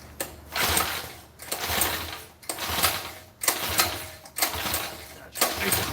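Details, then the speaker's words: Freshly assembled Predator 212cc engine: six rough recoil pulls, each a short sputtering rasp that fades without catching; it is pulling fuel and basically flooded, carb jetting believed way off. "All right, well, she pulls some fuel. Now I gotta start"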